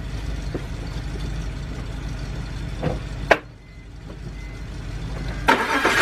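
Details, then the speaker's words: BMW 328i six-cylinder petrol engine with a misfire, idling with an uneven, lumpy low rumble while coils are unplugged one by one to find the misfiring cylinder; a slight misfire at rough idle. "yeah okay we got a slight misfire"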